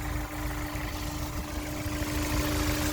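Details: 2004 Honda S2000 with 109,757 on the odometer, pre-purchase inspection, hood open: smooth, even idle with a steady low drone and light hum; engine healthy, though coolant smell and possible coolant leak noted.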